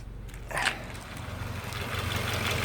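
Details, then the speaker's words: 2012 Subaru Impreza idling with air on but not directed to the windshield: steady low engine hum with faint airy hiss, no electrical buzz from engine bay; buzz appears only when airflow switched to windshield. "I'm having a strange issue where if I have the air on, no matter which level, and it's pointing up to the windshield, I get a strange electrical buzzing coming from the engine bay."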